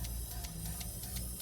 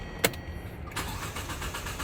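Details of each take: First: LPG taxi engine that stalled while driving, fuel rail pressure dropping fast, injector leak suspected: cylinder 1 injector energised clicks lightly and regularly about six times a second with faint hiss; normal injector operation. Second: LPG taxi that stalled while driving, started with the air cleaner cover open: starter churns steadily for nearly three seconds before the engine catches and revs up. Delayed start caused by a leaking injector flooding the intake and upsetting the air-fuel ratio.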